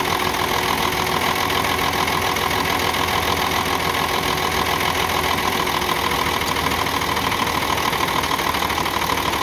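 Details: UD Truck Nissan PF6 six-cylinder diesel with sudden misfire, power loss and stalling: lumpy idle with recurring dip, one cylinder dead because injection pump plunger number 5 delivers no diesel.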